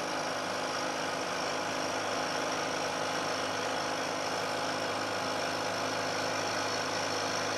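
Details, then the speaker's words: Milling machine cut with vibration-damping plates added, same depth as prior noisy cut: even, steady cutting hum with no chatter or squeal, notably quieter toward end of part, giving better surface finish. "I'm taking a cut this time of roughly equal depth to the cut I took before and you'll hear that there's a very big difference in the noise produced especially as the cutter gets out towards the end of the part"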